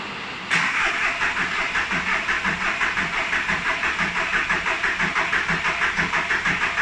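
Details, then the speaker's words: VW Polo 9N 1.4 TDI after engine replacement: starter chugs about three even compression pulses per second without firing; hard start from air in the fuel system, fixed by cracking the bleed bolt until fuel sprayed evenly, then it fired. "the reason why you could see it struggling to start is because like a fool there is a little there is a little bolt just here that bleeds out the fueling system so you have to crack that loose"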